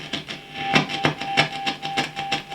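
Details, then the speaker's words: Marshall AVT50H amplifier after a cleaning treatment on the potentiometer: crackly, scratchy bursts still come and go over a faint steady tone. A dirty, worn pot track. "still scratchy that treatment hasn't completely [Music] has completely cured it."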